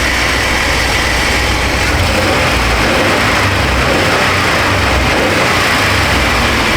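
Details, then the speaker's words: 1996 Chevy Astro van V6 after replacing a leaking spider injector that caused misfire and rich running, idling into closed loop: steady, smooth idle with no stumble or misfire; no more skipping or bucking. "I think she turned out pretty mint. No more skipping and bucking and carrying on."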